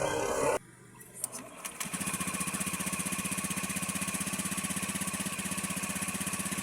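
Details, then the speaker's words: Small motorcycle engine runs smooth and even with no knocking or rattle once the flywheel is removed; the earlier noise is traced to loose, moving parts on the flywheel. "ganda ng andar mga kaibigan kapag walang flywel ah walang ating ano agag hindi niya nakakabit okay aandar."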